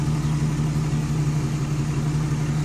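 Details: Chevy Express van 4.3L V6 after repair: the P0300 and cylinder 5/6 misfire was traced to bad lifters, all lifters were replaced and Lucas oil stabilizer added. Smooth, even low hum with no stumble or tick, idling cleanly, and no check engine light.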